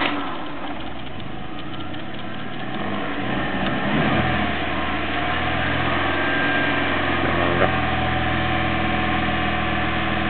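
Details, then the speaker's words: Old Toyota Corolla on 91-octane petrol, fully warm, key removed: engine keeps running on with rough diesel-like knocking slaps, suspected carbon build-up in head causing pre-ignition; also pings uphill at full load; 95 octane to be tried; run-on after shutdown. "It does sound like a diesel when it knocks."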